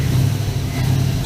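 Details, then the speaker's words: 1965 Chevrolet C-10 LS swap after intake manifold gasket and injector replacement: a deep, steady note pulls up cleanly with no stumble off idle. The misfire (P0300) is mostly solved and was traced to the intake manifold gaskets. "She's sounding much better right now. And listen to this. Let's see here. There's no stumble off idle anymore."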